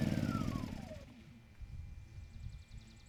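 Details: Kipor KGE 1000Ti 1000 W inverter generator, just over 10 years old, previously surging and stalling, now running at near full load (THD 2.3%): pitch dips as load comes on, then a steady low drone with no surging or missing; handled a sudden load well.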